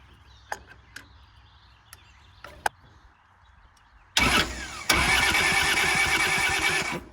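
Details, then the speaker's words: Kubota L285 4-cylinder diesel tractor, sat outside 8+ years: starter churns steadily about three seconds but the engine never fires; cracked injectors show air in the fuel system, with a leaking fuel line and weak injector pressure. "Yeah, there's air in there. That's the problem."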